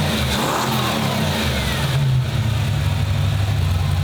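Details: 1995 Ford Mustang GT, Ford 302 V8 after manifold, fuel pump and tank swap and a rebuilt replacement carburetor: revs cleanly and settles into an even, steady beat on all 8 cylinders, no miss or stumble; normal running.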